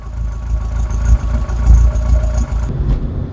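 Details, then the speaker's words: Rover 25 GTI, 1.8L VVC petrol engine, rough lumpy idle with irregular stumbles from ongoing misfire, recorded before Wynns injection cleaner test; rocker cover gasket already changed and system bled. "In case you don't remember, I've got loads of videos with the misfire sounding, so we'll pop one of them in now."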